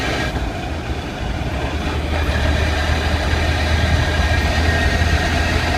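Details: Car accelerating with foot off the clutch: deep droning rumble building under load with a steady low hum, only present when accelerating; drivetrain noise from gearbox or clutch, cause unclear.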